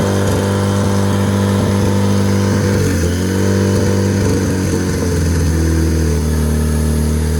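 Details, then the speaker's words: Project RED engine build, first run on standalone ECU: holds a steady high-pitched fast idle with no dip or settle; high idle, owner suspects a leak, and rpm dropped when something was cut. "that was a lot that was a real high idle so we might have to leak somewhere in here"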